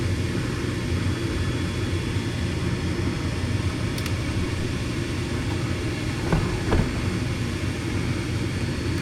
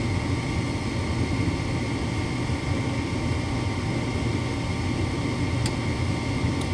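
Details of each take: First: Furnace with intermittent no-start, restarted during a gas pressure check (inlet about 7.66 in. water column); the inducer (booster) motor kicks on with an even, steady low hum, no rattle or squeal, running normally. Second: Furnace with intermittent no-start (owners had been flipping the breaker); inducer on and igniter lit, 26 V measured at the gas valve, but only the steady inducer hum is heard with no burner light-off: bad gas valve not opening.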